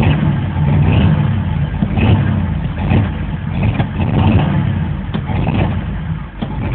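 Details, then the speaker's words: 1988 Chevy Cheyenne pickup, 4.3L V6, restarting after it stalled: long uneven cranking with rhythmic surges about once a second, struggling to catch before it finally fires; hard start, lots of smoke, smells of gas, owner suspects a fuel leak. "I let it die I have to crank it really get [Laughter] started a little FL"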